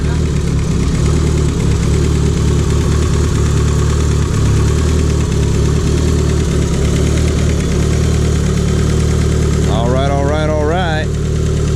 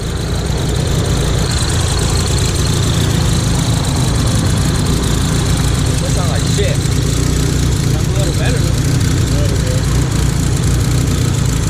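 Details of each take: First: Built Talon after fixing a huge exhaust leak that caused power loss and a non-cycling front O2 sensor: steady, even idle with a firm low rumble, no puffing or ticking from the exhaust; runs clean and settled. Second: Built Mitsubishi Talon (DSM) after pulls: front O2 sensor stopped cycling, check engine light came on, huge exhaust leak; loud deep idle lurching and stumbling unevenly, suspected misfire, cause unknown.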